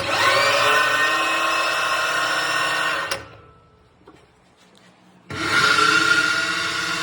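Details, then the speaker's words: Pinion bearing from a 2021 Ram 1500 9.25" rear differential at 60k miles, spun by a drill, gives a loud, harsh, rough roar. The pinion seal failed and the bearing ran dry, about a quart low on fluid. "And I'm gonna spin this bearing up, and you can hear how loud it is. You will hear the drill too, but you'll also hear the roar in the bearing."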